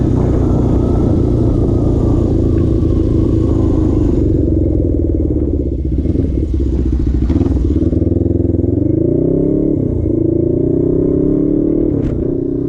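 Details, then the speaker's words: Suzuki GS450 twin scrambler, warm on a hot-day ride, compression 135/140 psi cold: pulls up through revs but stutters and breaks up under acceleration, idle wandering 2,000–3,000 rpm; later traced to a dying ignition coil. "took her for a ride and then as you saw it the bike liked it there was a distinct moment when all of a sudden it kind of just started to to break up a little bit as I was trying to accelerate"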